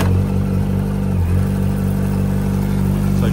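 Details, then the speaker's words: 2004 Yamaha R1: silent at idle, light uneven ticking only when revved over low hum; owner suspects tensioner, and a load test stalling the engine showed no worsening, so not a bearing knock. "So you hear when it's idling it's not doing anything. It's only when you rev it up. You can hear it tiek. I say it's the tensioner."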